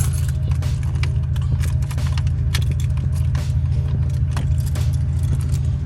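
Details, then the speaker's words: 1996 Chevrolet Impala after Opti-Spark and tune-up, battery just charged: starter churns about three to four beats a second, keys rattling, engine never fires; check engine light off, owner suspects timing but unconfirmed. Crank, no start. "I said like she don't want to crank. Is that timing or what? Check engine light off. Still though, it sounds like the timing off now."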